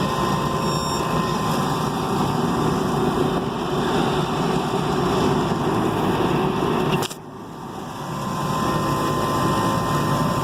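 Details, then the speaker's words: Rooftop HVAC unit, opened up after a reported noise at startup, restarted: a steady, even whoosh of the inducer and blower with a brief dip near seven seconds and no knocks, rattles or squeals. Nothing unusual is heard. "Let her fire up again. See what she does. At this point, not really hearing anything out of the way. So I think she's going to be okay."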